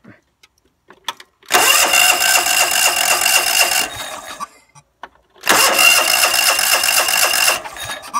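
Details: John Deere LX172 after a new PTO switch and reconnecting the factory ignition: two bursts of fast starter cranking at about four turns a second with no catch. Hard starting.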